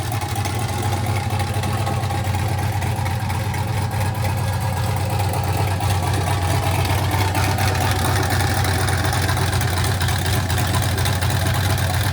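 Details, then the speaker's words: 1967 Chevy C50 with turbo LS V8, 7875 turbo, Holley Terminator X Stealth EFI, first start: deep even idle with choppy loping big-cam beat and turbo spool audible; healthy. "It sounds freaking amazing. You can hear the cam chop, and you can hear the turbo spool at the same time."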